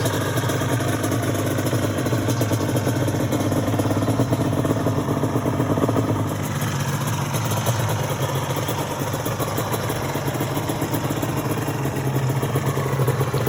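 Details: Restored Yamaha Banshee two-stroke quad, saved after sitting 14 years, in show condition: a smooth, steady burble at an even idle with no hunting, stumbling or rattles. The engine is idling healthily.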